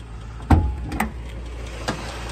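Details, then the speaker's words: 1960 Rambler Super, overhead-valve 196 cubic inch six-cylinder with column three-speed manual, started and idling: only a soft, steady low hum under a few clunks from the hood; smooth, quiet normal idle. "starts right up like that idle so nice you don't even hear it running"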